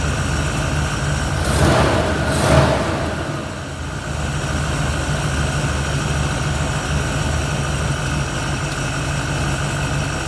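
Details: 1971 Ford Torino, rebuilt 302 V8 with C4 automatic, after idle mixture screws were adjusted evenly on both sides: two quick clean throttle blips, then smooth, even idle with no stumbles or misfires. It revs and idles clean; the carburetor, a little lean, needed only slight tweaking.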